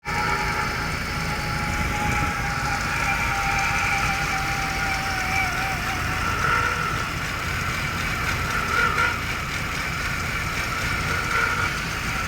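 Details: 2002 Jaguar X-Type 3.0 V6 at idle, microphone focused on the noise source; belt and rollers changed with no effect: thin high-pitched whine and intermittent chirps over the engine hum, origin unclear.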